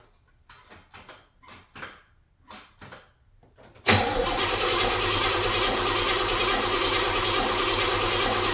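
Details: 1978 Chevrolet Monte Carlo SBC 305 (5.0) V8, rebuilt 2004 and under 50 miles since, rebuilt Edelbrock Performer 1406 carb not yet adjusted; cold start: seven or so weak, uneven cranking bursts before it catches into a rough idle. Hard cold start, battery drained, cause unconfirmed.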